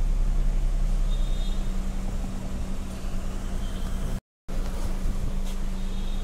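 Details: Honda Jazz automatic (new model) idling after transmission speed sensor replacement and rat-chewed wiring repair: steady low hum, even rhythm, no knocks or misses; check engine light has gone, engine healthy.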